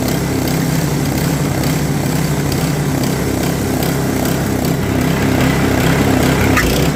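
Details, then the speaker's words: Customer's snowblower, auger not engaging or throwing snow; after adjusting auger belt tension (still some free play), the small engine holds a steady busy putter with the auger turning, no slipping squeal or bogging; runs quite well; oil change planned. "And as you can hear, runs quite well, but I am going to service it, drain the oil, put fresh oil in it as well."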